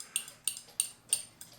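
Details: Keebler "Love Bird" clock, believed 8-day, winder disassembled: six sharp metallic clicks as the key turns. The ratchet only half catches, and the key unwinds after a couple of winds. A metal piece is suspected of not staying engaged with the gear.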